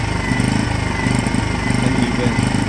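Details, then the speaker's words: Philiking PK2300i generator running before carburetor cleaning; RPM hunts unevenly with a lumpy "greng greng" beat, attributed to starved fuel supply in the carburetor giving an improper air-fuel mixture; carb jets to be cleaned. "So by this case, gasolina yung kinokontrol nito kaya naman parang greng greng greng ganun yung tunog ng ating generator."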